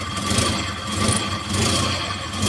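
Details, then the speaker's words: Multicab 6-valve engine after alternator fan belt replacement: steady smooth idle with no belt squeal or chirp; back to normal, noise gone. "Ayan, back to normal na po, wala na pong ingay."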